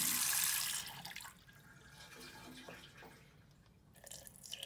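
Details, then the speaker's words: Tap running after fitting an anti-hammer spring tap washer to cure worn-spindle water hammer: steady hiss of water fading to a trickle, no bang or shudder in pipes at any tap speed; hammer gone. "and there we go doesn't matter how and there we go it doesn't matter how slowly we turn the tap on or off there is no pipe hammer anymore perfect"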